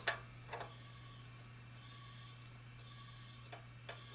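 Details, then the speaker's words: Craftsman LT1000 riding mower, overhead-valve engine, leak-down test with rockers off and valves closed: a steady airy hiss over a low hum with light ticks; the head gasket leaks into the pushrod gallery. "these brakes are notorious for the head gaskets leaking and what it does is it leaks between the piston and the push rod galley and that's what I'm hearing"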